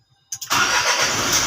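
Short crank then the diesel catches quickly and settles straight into a steady, even idle; starts cleanly.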